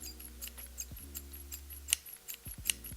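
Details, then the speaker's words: Taurus 66 Combat .357 Magnum double-action-only revolver, trigger pulled slowly near the microphone: uneven clicks with faint squeaks, the action hitching, grinding and squeaking rather than running smoothly. "When you pull the trigger slowly, you can kind of feel some hitches in there, some grinding, some squealing and squeaking. And if I put it up to the microphone, maybe you can hear the squeaking a little bit if I run it."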